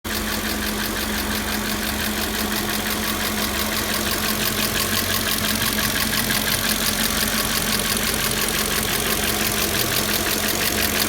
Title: 2000 Audi A6 4.2 ticking noise